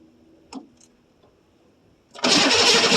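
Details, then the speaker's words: 1982 Chevrolet Silverado K10 4x4 with 6.2L diesel, sitting about 22 years, cold start after glow-plug cycling: a steady, loud starter churn runs on without catching or gaining speed; starting fluid is to be tried next. "But she's don't act like she wants to do anything now. So instead of burning starter up, just give it some Cosby sauce down his throat and we'll see what happens."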